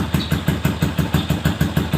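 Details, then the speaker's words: Yamaha Jupiter Z 125cc bored-up engine after light tune-up (complaint: vibration and power loss at high revs); even idle about six pulses a second, no knock; engine now cool and smooth, clutch automatic bell gear still worn, could be replaced. "untuk mesin depan suaranya Udah adem halus ya"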